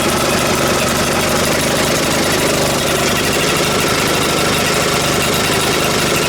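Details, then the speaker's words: Vintage Atco reel mower petrol engine running at steady speed on first start after checking for a sticking float: sharp, rapid puffing tick from a bit of an exhaust leak. "It's got a bit of an exhaust leak."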